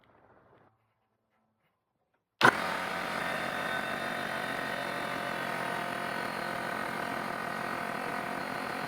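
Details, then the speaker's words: Trash-picked air compressor after fixing leaks and rebuilding the regulator, air gun attached: after a quiet moment the motor starts and runs at an even, steady drone with no hiss or stumble; normal fill, cut off at 150 psi. "Let's start it up, see how long it takes to fill."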